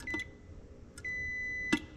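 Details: Neutral safety switch on an Oliver 1855 tractor, checked with a continuity tester: sharp high beep briefly then steady most of a second; bracket set too close, switch pressed too hard and staying closed.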